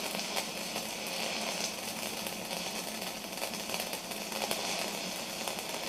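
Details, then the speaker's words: Stick welding test on a new Sip inverter multi-process welder, electrodes not stored dry: steady, even crackling hiss with no sputtering or arc breaks; slag lifting well, normal smooth arc. "wow that is quite nice those the electrodes haven't been stored in a dry space either um so that's uh that's good"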